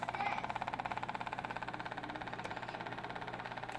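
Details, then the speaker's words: WLtoys 12423 electric RC truck sitting still with a fast, even ticking of about twelve clicks a second from the motor area and no response to the remote; cause unknown. "Alright, what's this noise from the motor? And it's not working, pressing"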